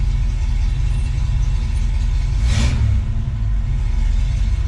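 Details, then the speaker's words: 1966 Ford Mustang right after Holley Red electric fuel pump replaced failed mechanical pump, hot day: fired right up, low steady even idle around 650 RPM (usually 800-900), no misses or knocks, healthy. "oh man that sounds great can't wait to drive this thing I'm idling right around 650 RPM feels pretty good doesn't feel like it's going to stall"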